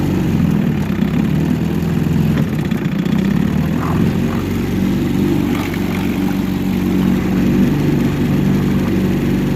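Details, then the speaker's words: 1963 Evinrude 3HP outboard at idle after fixing a sticking carburetor needle that left the float bowl dry: a steady, even, low smooth beat with no misses or surging, much better than before; healthy. "She's back there idling in the background, and much better than that first video when we had it running."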